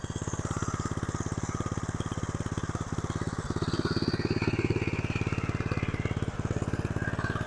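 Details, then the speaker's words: 1982 Mustang riding mower, 8 hp Briggs & Stratton, long stored, mixture screws just set 2.5 turns out, burning a little oil: a fast single-cylinder putter at idle with uneven beats and surging. It still needs tuning. "Sounds like it needs to be tuned up still."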